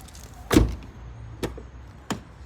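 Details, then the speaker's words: Fiat Linea/Punto door after replacing the broken door check strap (limiter): clean thunks and soft latch click, no creak opening or closing; creaking fixed. "ó acabou o barulho galera"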